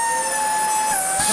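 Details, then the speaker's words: Dyson DC40 Mk1 upright, first power-on after reconnecting electrics: high steady whistling over a constant motor whine as air escapes around the seals because the post-motor filter is badly clogged. "bless it that filter is cream cracker doesn't it let's take that off and then we'll try again that's what that noise is"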